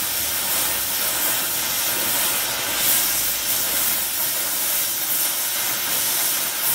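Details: Air Products Integra oxygen/acetylene cylinders with built-in regulators and flashback-arrestor couplings, small mixer torch, welding; trying to set 4 psi on a 380 psi gauge. Steady, even gas hiss, no popping or sputtering; normal clean flame.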